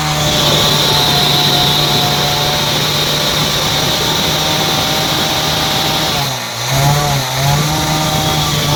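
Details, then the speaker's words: Bajaj Discover 100cc single revving fast after half a litre of Harpic plus 400 ml petrol was put in the engine; harsh, loud raspy clatter dipping on throttle blips. "Harpic डाले और engine आके पूरा sound आके चालू हो गया, बहुत ज़्यादा साउंड आ गया इंजन में आके।"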